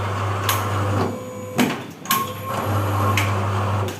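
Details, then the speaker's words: MAGIX 480V8 paper cutter, updated single-shaft model, cutting at 5 cm: steady low motor hum with a few clean clunks as blade travels and returns, smoother than rougher earlier versions, no grinding; normal cutting operation. "Dan ee yang ini itu keunggulannya itu udah e update-annya itu kayak suaranya makin halus."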